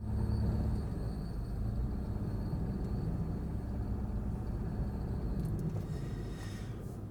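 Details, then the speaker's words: 2004 Subaru Forester XS while driving: heavy low rumbling growl with rough grinding and strong vibration from the failed rear left wheel bearing, replaced about a year earlier; fine that morning. "listen to that it's like grinding and actually I lifted it up and it's vibrating so much yeah listen to that that's my bearing"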